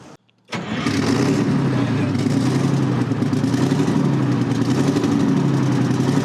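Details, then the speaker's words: Terex 80-20 bulldozer diesel, sat 30 years, turbo up-pipes refitted after checking for oil: fires straight away into a strong even idle, no misfire or knock, no longer spitting oil from the turbo; normal running. "I mean, she sounds pretty good. >> It's not spitting oil out the turbo like it did before either."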